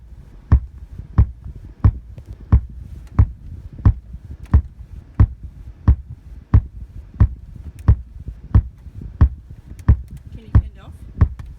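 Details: 2014 VW Passat: deep, even thumps from the speakers on startup, about ninety a minute, dull and with no ring. Cause not confirmed; possibly addressed by TSB 2031434.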